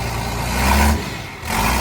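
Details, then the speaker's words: 29-year-old TimberJack 450-C skidder diesel, just started on ether after sitting 8 years: a deep, steady rumble that swells with a brief rev and settles back to an even beat; it sounds healthy, and it later showed zero blow-by. "Wow. Wow. This thing runs so good."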